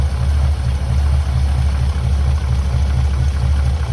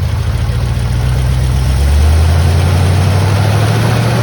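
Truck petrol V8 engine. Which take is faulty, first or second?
first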